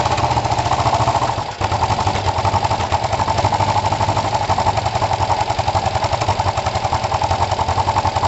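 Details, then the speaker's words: Kawasaki ER5 twin, after carb float height work, with good spark on both cylinders and new coils: a ragged beat with a stumble near the start, spitting back and popping. The owner suspects the carbs; it is maybe a touch more responsive but not perfect. "I can't tell it almost seems a touch more [Applause] responsible there was that weird back spit"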